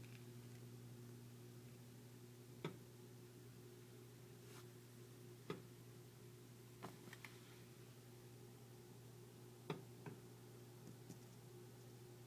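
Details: Home heating pipes: sharp, irregular ticks a few seconds apart over a low, steady indoor hum; phantom clicking attributed to pipe expansion and contraction.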